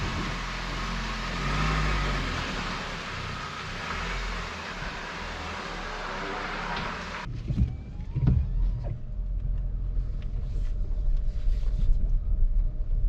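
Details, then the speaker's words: Car driving after a sway-bar replacement: steady low road rumble, no repeated clicking or knocking over bumps; the earlier annoying clicking is gone, and it rides quiet and smooth. "yeah it's quiet now no more no more of the Annoying clicking sound smooth ride looks like the thing is working now"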